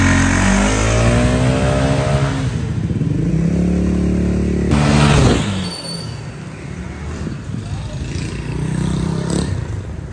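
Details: Honda SH 300i scooter after clutch/drive and driveshaft work and radiator fix: engine revs up and settles smoothly, with no whine or clunk from the belt drive, and the former driveshaft clatter is gone.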